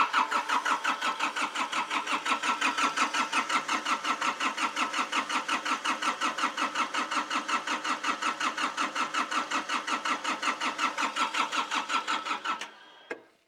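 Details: Hitachi EX55UR excavator, diesel, sitting a year with broken boom, seat off: steady starter cranking about three compressions per second for twelve seconds, never fires, then stops; cranks, no start.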